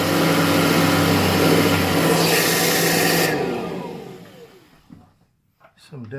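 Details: Kirby Heritage vacuum with complaints of a burning belt smell and abnormal sound; a loud rough whir with a fast uneven flutter, about three beats a second, then spin-down; the cracked rotor/fan impeller drags and makes the belt slip, fixed by replacing the impeller.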